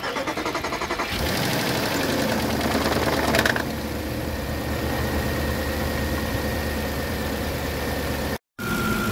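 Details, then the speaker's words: Audi A8 4.2L V8, reassembled after about a week standing, sealant dried: cranks briefly, catches, clatters shortly while oil pressure builds, then settles into smooth even idle; normal, no notable issues. "man hört halt am Anfang immer ein bisschen dass er halt erstmal Öldruck aufbauen muss das ja ist normal"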